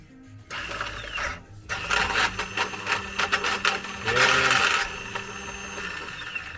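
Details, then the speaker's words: Bennche Cowboy UTV twin that popped and stalled, compression test on second cylinder reading 0 psi (first barely 70): labored uneven cranking with ragged mechanical clatter; failed bearing and loose bolts behind the flywheel, owner suspected snapped timing chain. "Well, that's not good. Not good at all. 0 psi. And it didn't sound like it even wanted to roll over correctly."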